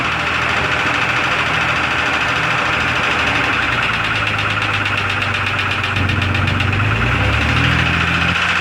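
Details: 2002 Jeep Grand Cherokee Laredo idling after adding engine oil. A fast, uneven light ticking or pinging rides over the idle and is still present after the oil top-up; cause not yet found.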